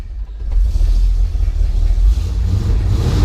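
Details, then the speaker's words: 1968 International Harvester Travelall 1100 half-ton V8, started cold with choke half out and a pump of gas: low, even rumble settling quickly into a steady idle, no stumbling or misfire, warming up; healthy cold start. "You really want it to warm up a little bit before you start hitting on the gas."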